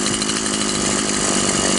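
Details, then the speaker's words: Stihl MS 180/170 chainsaw with a non-adjustable carburetor, whose needle was adjusted to add fuel after a loss of power. Power is now good, but it buzzes at a fast, steady idle. High idle speed; idle needs turning down. "мощность хорошая но как мы видим слишком много холостого хода спят моего киснут и так важно что небольшой"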